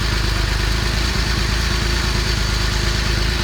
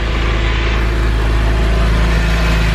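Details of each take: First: Porsche under acceleration after a downshift, check engine light with misfire code P0301 and knock sensor code P0327: uneven, stumbling running instead of a smooth hum; misfire, coil packs and plugs then replaced. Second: Porsche 996 after replacing spark plugs and Beru coil packs for misfire code P0301 and knock sensor code P0327; idle now smooth and even with a low exhaust burble, no longer lumpy: normal idle after repair.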